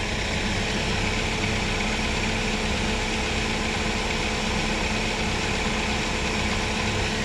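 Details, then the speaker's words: Chevrolet Spark/Beat idling: a loud, steady radiator fan roar on high speed that never drops to low and then stops completely. The low-speed fan resistor (GM 96656660) stays cold and has failed. "de ahí se debería de apagar la alta y quedarse en la baja pero no lo va a hacer se va a morir el ventilador completamente y ahí está Ya se está deteniendo el ventilador se supone que ahí debería de quedarse en la baja pero no lo hace"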